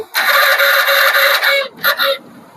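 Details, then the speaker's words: Hero Splendor BS6 self-start test with ignition on, after replacing worn self-motor carbon brushes: a strong, high whirring spin for about 1.5 seconds, then two short bursts. The starter works properly, though the battery is slightly discharged. "ये देखिए दोस्तों, ये हमारा self proper work कर रहा है, आवाज सुन पा रहे होंगे आप।"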